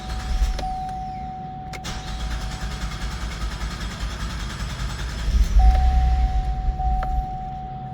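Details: 2015 GMC Acadia with codes P018C, P0193, P0201, P0203, P0452, found low on oil and topped up with about 2.5 quarts: starter whirs steadily for several seconds before the engine finally catches; extended crank before start.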